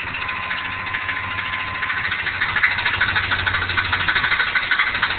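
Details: Rapid, uneven ticking knock about three per second over a steady idle, metallic and near the flexplate; cracked flexplate suspected on a 4L80E transmission with possible torque converter issues, cause unconfirmed.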